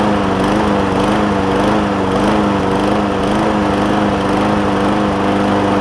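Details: John Deere JA60 push mower with a replacement tank, new fuel line and cleaned carb, at raised throttle: the note wavers up and down about twice a second, hunting and surging. Debris is suspected in a carb jet; an air filter is added.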